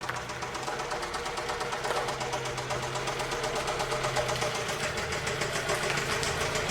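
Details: 2006 Toyota Camry 2.4L: steady metallic knock about four per second over a rough idle; engine is being replaced for knocking, exact cause unconfirmed, and it was cut off to avoid locking up.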